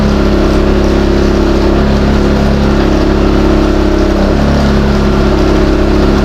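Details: New Westinghouse iGen4000DFc dual-fuel generator, first run out of the box, powering an air compressor at about 1400–1700 W and 122 V: a steady mid-pitched drone with no hunting or misses. Normal under load.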